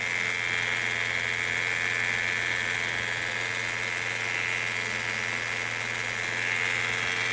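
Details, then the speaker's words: 2017 Peugeot 208 1.2 three-cylinder, noise growing over time, accessory belts removed, revved: steady high whirring hiss loudest at the cover over the oil-bathed timing belt tensioner bearing and guide; timing belt tensioner noise. "Pessoal, o barulho tá muito forte aqui, ó, nessa tampa."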